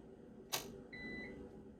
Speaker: it's telling you that there has been a power outage.